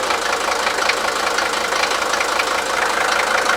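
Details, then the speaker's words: Mercedes-Benz S123 300TD diesel, around 41 years old, cold engine: even clatter at idle with no missing beats or deep knock; normal cold diesel idle. "and it's cold engine currently uh but it sounds Prett nice"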